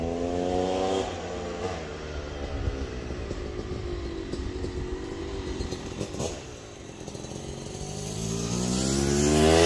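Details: Yamaha YZ250 two-stroke (270cc/250cc) motocross bike on break-in street ride after full engine rebuild (bottom end, transmission, bearings, clutch, power valve): crisp buzz climbing and falling through each gear with clean drops between shifts; healthy.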